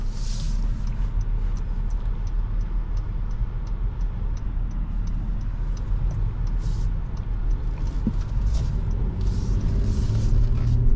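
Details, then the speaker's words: 2022 Honda Pilot TrailSport AWD with 211 miles, driving and turning left over a very rough road: steady low road rumble with no clunks, rattles or squeaks, so the suspension sounds healthy. "lucky for you it's a very rough road that we're driving on and this is sounding great"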